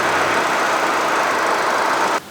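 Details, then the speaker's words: 2013 Chevrolet Spin LTZ, used car inspection at idle: even, steady hum with no ticking, knocking, whine or bearing noise; engine smooth and normal, no smoke or oil/water at oil cap. "jadi untuk suara mesinnya halus standar normal dan untuk bearing bearing juga belum ada suara"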